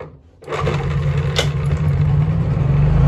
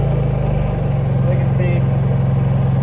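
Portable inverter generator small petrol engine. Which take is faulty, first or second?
first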